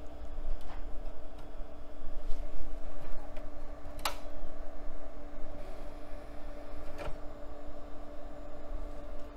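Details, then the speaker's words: Acer optical drive from August 1996 in a vintage computer, after freeing a very stuck tray: a few sharp irregular laser-lens clicks over a hum, with no disc spin-up. "hear the laser lens clicking but it's not spinning up all right well that drive is going to need some attention"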